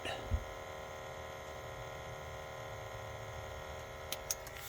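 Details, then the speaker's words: Honda CR-V parked hours with engine off, recorded under the rear; constant fixed-pitch buzz of the evap vacuum pump creating fuel-tank vacuum, normal evaporative leak-check self-test, nothing to worry about. "Are you relieved that it's not a problem on your CRV? That weird buzzing noise coming from the back? It's nothing to worry about at all."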